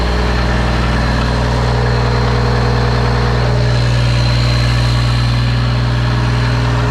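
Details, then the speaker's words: Peterbilt cabover truck diesel held at fast idle after throttle fault began working again: deep even rumble, no misses or knocks; engine sounds good though transmission is failing. "I got him fast idling, and the cruise is working, the fast idle's working. And he sounds beautiful."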